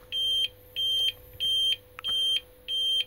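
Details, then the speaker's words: APC Smart-UPS 750VA on battery during recalibration run at about 60% load: rapid evenly spaced high low-battery warning beeps, about 1.5 per second, while it still shows three bars, minutes into the discharge. "Okay, so it's now started beeping more, but as you can see, it's still showing three bars here. This is because it's really not sure. It thinks it's got about half the battery left, but it also thinks it's likely to die."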